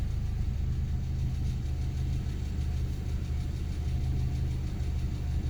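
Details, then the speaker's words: Honda D16Y8 swapped engine idling with a steady rumble and dense, busy clattering after a valve lash adjustment; still super noisy; noise seems to come from the crank area, not the injectors; source unconfirmed. "But the engine is still super noisy. Alright, so after driving it around, it kind of seems like the noise is coming from, I guess, the crank area. This clattering sound."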